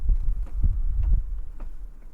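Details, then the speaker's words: Front-wheel-drive car with one wheel raised and in gear, wheel rocked back and forth: dull low thuds, about five in two seconds; excess driveline play, possibly differential or drive shafts. "вот если вот так покачивать и колесо туда-сюда и слышите звуки"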